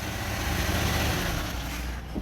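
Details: Toyota automatic gearbox after repair (previously wouldn't engage R or D, D took up late with a jolt): engine idles steadily, then one soft thump as the gear takes up at once; engagement now normal.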